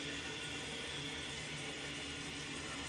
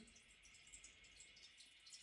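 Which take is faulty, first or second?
second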